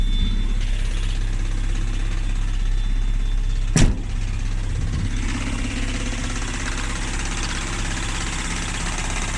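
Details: 1994 Mazda Miata at a rough idle: a low, uneven tapping about three times per second. Knock present; owner suspects rod knock, unconfirmed.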